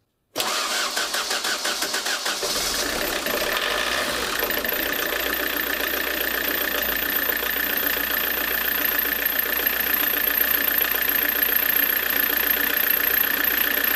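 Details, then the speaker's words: Diesel with Lucas DPC pump, about +12 °C, injection timing set 1 mm late from first-cylinder TDC mark: cranks about two seconds before catching, then even clattery idle; light bluish smoke of unburnt diesel when revved — retarded injection timing. "Напоминаю, что от риски, которую я поставил на ВМТ первого цилиндра, я сдвинул на поздний впрыск на 1 миллиметр."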